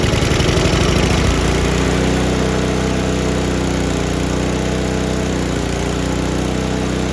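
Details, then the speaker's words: Murray Ultra 5hp snowblower with Tecumseh engine after carb cleaning, throttle on: small single-cylinder steady, even buzz with no misses or surging. Runs smooth and healthy. "All right, like the way that sounds."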